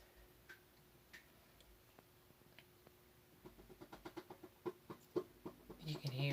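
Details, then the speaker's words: Whirlpool WTW4816FW1 top-load washer after new clutch (splutch), sensor switch and lid lock switch: quiet, uneven ticks quickening to about three a second, like trying to move, with no drive taking hold; stuck in wash, not advancing to rinse; owner suspects hub or transmission. "it ticking like it's trying to move and you shouldn't take this long for it to do what it needs to do we hate that noise I don't know what that is"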